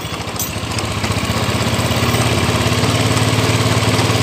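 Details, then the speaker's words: Honda Scoopy scooter that judders and vibrates when riding, idling with the CVT cover opened: a harsh, fast pulsing rattle from the rear (driven) pulley, very severe. CVT clutch judder. "Nah, sangat parah sekali ya. Suaranya berasal dari poligardan ya. Suaranya berasal dari poligardan."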